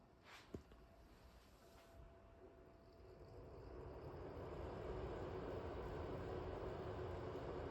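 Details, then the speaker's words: Fantini Cosmi bathroom ventilation fan with Rhinocomfort in night mode with the sensor on: a soft airy whoosh builds, then holds a steady, barely audible rush with only a slight creak; normal fan operation. "come potete sentire la ventola non si sente minimamente se non lo scricchiolio di cui vi parlavo"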